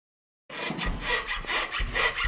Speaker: 此台车行走在颠簸路面的时候，底盘传出吱嘎吱嘎和当当当当的异响声，开起来非常的闹心。车辆到店经过检查，此台车的下支臂大小胶套出现了老化的现象。